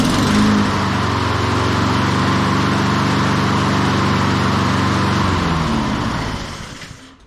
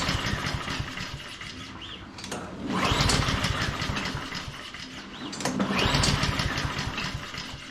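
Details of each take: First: Honda HRN216 mower, one season old, restarted after no-start complaint with fresh fuel and spark plug check: even, brisk single-cylinder drone holds steady, then winds down cleanly at shutdown; sounds healthy. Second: Honda HRN216 lawn mower, one season old and run on non-ethanol gas, fuel valve on: two pull-cord cranks give a chugging whir that fades with no firing. It turns over but won't start; a carburetor fault is suspected, not confirmed.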